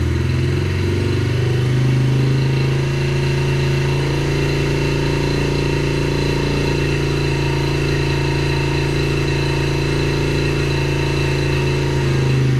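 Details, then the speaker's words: 2021 Yamaha TTR50, idle speed raised and mixture leaned slightly (believed to be running too rich): steady, even single-cylinder putter at idle, no misses, stumbles or hunting; now sounds good. "yeah so that seems to be pretty good it sound sounds pretty good it uh I had to turn the idle speed up a little bit the speed screw up a little bit and I had to adjust the mixture just a little bit I believe it was running too rich I leaned it out just a little bit and now it sounds good"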